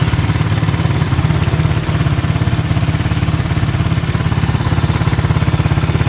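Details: Honda US100 single-cylinder motorcycle idling after tappet (valve clearance) adjustment with a feeler gauge. An even thump of about three and a half beats a second with no ticking from the top end; normal idle.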